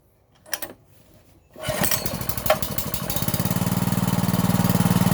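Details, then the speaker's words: 5.5 hp gasoline water-pump engine, after carburetor cleaned and its air-hole rubber removed, blown out and cleaned, idle re-set: catches after a couple of pulls into an even steady putter about four beats a second; idle now smooth, no stumbling. "หลังจากที่เราได้ถอดยางตัวรูอากาศออกมาเป่าล้างทำความสะอาดครับก็ทำให้เครื่องเดินเรียบขึ้นนะครับไม่สะดุดเหมือนก่อนที่เราจะได้ถอดออกมาล้างนะครับ"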